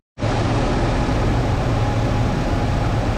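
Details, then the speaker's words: Ford Bronco 5.8-litre V8 with about 50,000 miles, idling while a sticking throttle is being checked and cleaned: a smooth, constant drone with a low, even hum and no knocks or misses; the engine runs healthily. "it's a fantastically running v8 5.8 liter it's got about 50 000 miles on"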